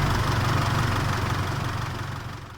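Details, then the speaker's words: 2006 Isuzu D-Max Hi-Lander 3.0 diesel idling after the owner replaced a cracked intake pipe with an aftermarket part; the pipe had caused power dropouts and black smoke at 80-90 km/h. Steady, even diesel clatter with no misses or hunting, fading at the end; sounds healthy. "จากนั้นก็ทำการสตาร์ทเครื่องดูนะครับว่ามีอะไรผิดปกติหรือเปล่า"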